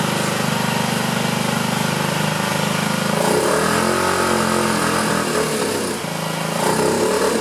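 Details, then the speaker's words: 2009 Honda Metropolitan scooter with owner-fitted new carburetor, carb cleaner sprayed into the air intake; ragged uneven revs that briefly pick up and smooth; rough running, suspected carburetor clog, not yet fixed. "That sure sounded like it was helping, didn't it? We're close, not quite there."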